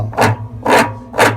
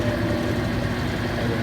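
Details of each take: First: Consul CWE15 washing machine spinning with a worn spline lock between the spin tub and the shaft, giving three harsh rasping scrapes about half a second apart over a low hum. The part is to be replaced with a new one. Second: Consul CWE15 washing machine after repair of a very loud noise, safety lock refitted and machine cleaned; steady, even low hum with a faint tone above it, drain pump running normally.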